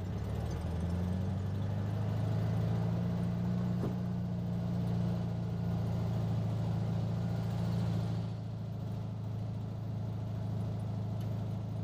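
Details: 1967 VW Beetle flat-four after swapped intake manifold, carburetor, distributor (009 without vacuum advance replaced) and valve adjustment, warmed up: steady low drone, slight rise then settle, no misses or stumbles; runs well though still lacks a little power.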